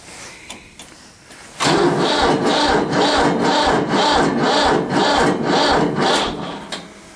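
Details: Diesel tractor with an older battery and intake heater, cold start at about 30–32°F: sluggish, even cranking at about two compressions a second that never catches; weak battery, owner then fetches a booster pack.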